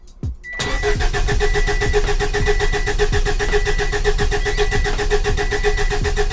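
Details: Subaru Baja Turbo, freshly rebuilt engine, first start with fuel pump fuse pulled: steady starter whine with even compression pulses about two per second, no firing; normal crank building oil pressure until the oil light goes out.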